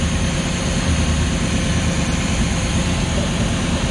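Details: Luhrs 28 boat engine after carburetor rebuild, started once the fuel pump and filter filled: even, deep idle with a smooth steady beat, no misses or knocks; newly rebuilt carburetor runs great.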